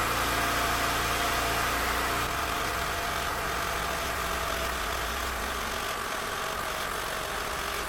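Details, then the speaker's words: Acura/Honda, engine idling after replacing the hardened power steering pump inlet-pipe O-ring, bleeding air by turning the wheels: thin high pump whine from trapped air that fades as the air clears; no foaming afterwards. "you'll hear it whine louder and louder like when I turn the wheels um eventually it'll it should Qui down now cuz air won't be able to get in the system"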